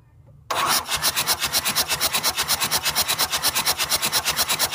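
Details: Mitsubishi 4D56 turbo diesel during compression testing before overhaul; starter cranks evenly, just under three beats a second, steady strokes with no dropouts; normal cranking compression.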